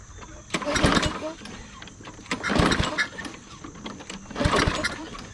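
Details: Tecumseh-engine lawn mower: three short bursts of firing, each fading within a second, starts then dies; carburetor suspected gummed up or water in the bowl, later replaced.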